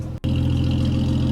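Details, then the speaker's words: BMW E46 drift build at idle on newly fitted makeshift exhaust pipe; may need extra mufflers. Deep, steady rumble with an even beat and no rattles or blowing leaks. Normal, healthy exhaust note with a nice tone. "So, I don't know why they cut the exhaust off cuz it already sounds pretty meaty like that anyway. It's probably going to need some additional muffles, isn't it? It's actually got quite a nice tone to it."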